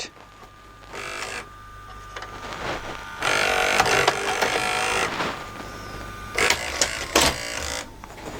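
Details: LG VCR/DVD combo after repair of a broken loading mechanism (alignment and gears): short motor whirs and gear clicks in separate bursts, each ending cleanly with no grinding or stalling, a normal tape eject.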